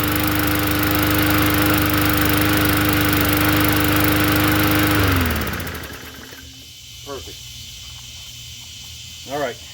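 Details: Poulan push mower engine swapped onto another 20-inch deck, first-pull start: clean even drone for about five seconds, then winds down and shuts off; runs healthy.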